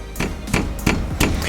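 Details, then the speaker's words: RAM 1500 5.7L HEMI V8 with ProCharger supercharger running: sharp metallic knocks about three a second as intercooler charge piping vibrates against the frame and each other; vibration may also trigger the knock sensor. "one of the things that meet him we're talking about is this vibration you guys can probably hear that metal-on-metal noise"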